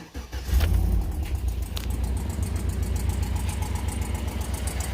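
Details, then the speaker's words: Cammed Tahoe with DOD delete kit installed, cold start first of the morning: engine catches and settles into fast idle with a sharp, steady puffing tick over the rumble, louder now; confirmed exhaust leak, truck still missing power. "so there's that thing I called an exhaust leak and it's louder now so I know for sure has to be an exhaust leak"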